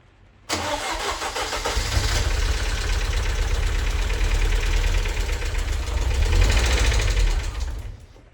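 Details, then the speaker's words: MG TF first start after head gasket, water pump and timing belt replacement: the engine catches and runs with a fast, even tappet clatter after 5–6 weeks standing; the noise disappeared after about 10 minutes once oil circulated. "And just a quick note to say the horrendous tappity noise your tapping noise you can hear when I start the engine up. Uh that was the tapets. Uh they've been standing still for five or six weeks."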